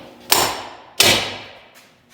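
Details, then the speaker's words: Jeep JL Rubicon front axle regear from 4.10 to 5.13: bearing race tapped in, described as going in well and nestling in; three sharp, clean ringing hammer blows about a second apart, the race sounding fully seated. "But this felt like it was going in pretty good. And you could feel it kind of nestle in there."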